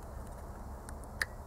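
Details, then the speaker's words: Bosch CP pump fuel metering solenoid on a 2.0 diesel, engine off, pulsed at 30% duty once per second; crisp metallic clicks as it switches properly. "to jest 30% wypełnienie impulsu No i oczywiście tak jak słyszycie raz na sekundę pęknięcie"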